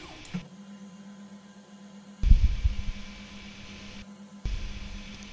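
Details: Ender 5 3D printer with MKS Gen L board and TMC2208 stepper drivers, homing noise test: faint steady hum, then short low buzzing whirs as axes home; normal moderate noise, between A4988 and stealthChop levels.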